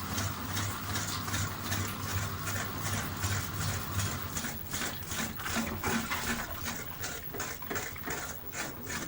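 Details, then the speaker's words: Panasonic NA-FS14G3 EcoNavi top-loader washer on spin: drum wobbles and knocks fast, motor cuts out and restarts the cycle; clutch jamming, faulty drain valve, fixed by replacing it. "these symptoms is the drum wobbles excessively and it ventually just keeps going through the program at wobbles cuts are and almost restarts again wobbles cuts are and restarts again"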